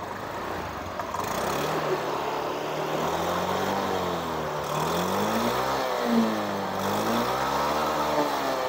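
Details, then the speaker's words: Honda Beat 2021 scooter after replacing CVT final drive gears damaged by oil contaminated with water and dirt: engine revs rise and fall smoothly with throttle, no grinding or gear whine; drive now smooth. "sudah oke jadi Sudah halus semua ya teman-teman"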